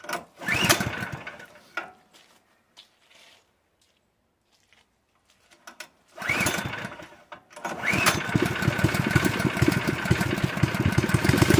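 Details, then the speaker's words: Honda GX160 portable air compressor engine on propane surges, dies to near silence, then catches and runs unevenly while the mixture is adjusted; owner suspects the engine is worn out, with weak valve springs. "you start playing with a mixture this thing just dies in a hurry you shouldn't do that"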